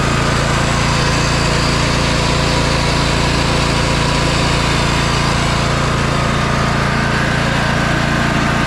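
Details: 2004 MTD Yard Machines lawn tractor, 18.5 hp engine, after carb cleaning and oil change; already running with a steady, even putter of about 214 beats a minute, no misses or knocks; healthy idle.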